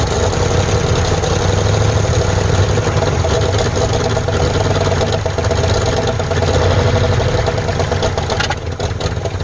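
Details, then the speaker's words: Abandoned 1948 Ford F5 bus, just started after sitting 25 years: engine idles loud and uneven with a lumpy, irregular beat; carburetor needs rebuild, linkages and throttle linkage unhooked, needs tune-up. "Woo! It's running. All right, guys, that's running in my eyes. Of course, we're gonna need to do a tune-up on it, rebuild that carburetor, get the linkages and throttle linkage hooked up."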